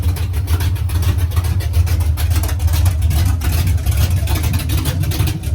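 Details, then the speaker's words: "53" V8 race vehicle (Trash Can) after rebuild, idling after fixing a funky sound (bolts/washers on collectors, starter clocked as it seemed to stay engaged): deep even lope, no rattle or clatter; healthy. "Oh yeah, I got special sauce mounted too. No more funky sounds. I don't know if it was. I put bolts and washers on the collectors. I think they were just vibrating around"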